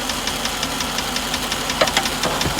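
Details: 1998 GMC Savana 5.7 V8 idling, doghouse removed, mic inside the van: sharp even ticking about six per second, loudest at the block below the rear of the driver's side valve cover gasket; cause unknown.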